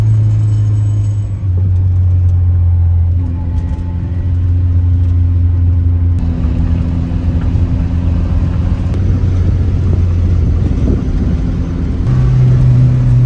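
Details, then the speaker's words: 1967 Austin Mini Cooper S on test drive after first start in about eight years: smooth even drone stepping cleanly with gear changes, revving properly as valves clean up; running well, oil pressure good. "the engine is already sounding a lot better it's revving up like it should I can tell that the vals are getting cleaned up the engine starting to run really well now"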